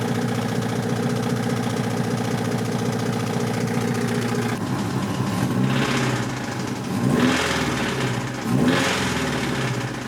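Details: 1986 Toyota MR2 AW11 salvage-yard parts car: rough idle with an uneven knock under the exhaust note, louder on each throttle blip; bad rod knock, engine declared toast.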